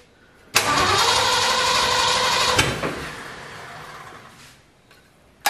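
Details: Ford 351 Windsor V8 in F100 rat truck, first start, fuel system flushed of diesel, timing untouched; catches abruptly, races high and uneven two seconds, then sags and fades out. Owners think carburetor dirt is starving it.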